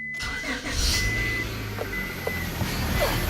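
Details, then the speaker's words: 1998 Honda Accord EX 4-cylinder with plenty of power steering fluid: the engine catches and settles while a thin, steady whine comes and goes over it. The power steering pump is failing. "hear the whining noise the turn of this year we'll hear that pump whining that means power steering pump and bats got plenty of fluid in it the pump is bad"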